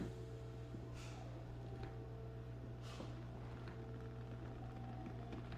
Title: Trumedic Symphony - Buzzing Sound